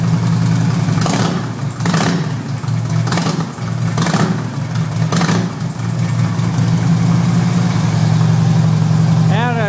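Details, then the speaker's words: 2008 Harley-Davidson FLHT Electra Glide Standard, first start of the season after winter: deep lumpy V-twin idle with throttle blips rising and settling back cleanly; normal revving, healthy. "hold on there it is running like a true Harley let's see how it sounds let's crank it up a"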